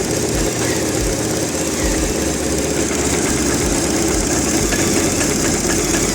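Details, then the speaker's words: BMW R1150RT (R22) with the engine running, after a braided brake hose upgrade and bleeding: applying the brake brings a fast, even buzzing whirr from the servo pump over a steady idle, no knocks or stutter. Plenty of brake pressure; normal. "i'm going to apply the break just about here the pump working and the rear brake not sure if you can hear that i've got plenty of brake pressure now"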